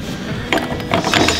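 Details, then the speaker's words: 1966 Suzuki T-20 (Super 6) six-speed gearbox being restored, gear set turned on the bench: rapid irregular metallic clicking and ratcheting; if it makes this noise while riding, something is wrong. "Si vous roulez et ça fait ce bruit-là, c'est pas normal."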